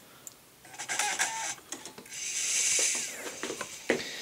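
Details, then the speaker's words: Sony DVD-ROM drive on bench motherboard, Windows Vista 32-bit install DVD loaded: quick irregular clicks and chatter, then rising spin-up hum as the lens identifies the disc and loads files; drive seeks and reads normally. "Donc on peut voir que la lentille, il en a identifié le lecteur CD et qu'il a chargé quelques fichiers pour faire sa vérification. Et que ça fonctionne."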